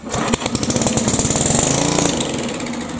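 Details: 1974 Sears rototiller engine, troubleshooting with starting fluid sprayed in, choke on; catches and fires in quick pops for about two seconds, then sputters and dies, runs briefly then quits; fuel supply suspected, tank and fuel line to be cleaned/replaced.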